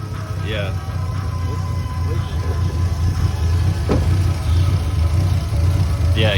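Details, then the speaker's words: Lexus SC300 parked with hood up: low lumpy idle with uneven stumbling beat; rough running misfire, suspected from broken distributor rotor and shavings in cap; not confirmed. "how rough it's running right now what the hell man"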